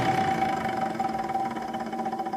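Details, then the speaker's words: Window air conditioner at first spring startup after winter storage: a steady whirring with a faint regular warble over the airflow from fan motor bearing noise. It has probably been present for about 18 years; the motor was oiled last year, spins freely with no play, and stays noisy. "that bearing noise it's probably done that for the past 18 years I did put some oil in the fan motor last year but um like yeah it's just not gonna quiet that down"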